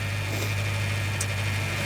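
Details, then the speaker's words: Used car at auction, engine idling with the bonnet open. A steady low hum with a faint constant high whine riding on top; belt noise is suspected but not confirmed, and something rattled in the engine bay before stopping. "um sounds very whiny and i reckon it's that"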